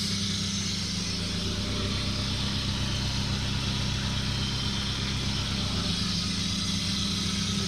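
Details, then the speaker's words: 2003 Geo Tracker after power steering conversion, newly installed pump, belt and hoses, first start while turning wheel to bleed air: even idle hum, no whine or groan; pump running quietly. "I'm going to hopefully start it up [Music] not getting a lot of noise [Music]"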